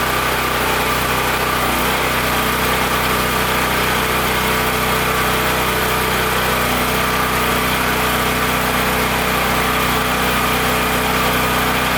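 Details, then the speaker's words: Powerstroke 6000 W generator with a 14 hp Honda-clone engine, after rotor repair, loaded with a 500 W heater and a light bulb. A steady, fairly high-pitched drone with no hunting; frequency is too high, target about 61.5 Hz. The governor needs turning down. "it's running a little high i'd like to see the hertz at like 61.5 give or take so i'm gonna dial it down a little bit"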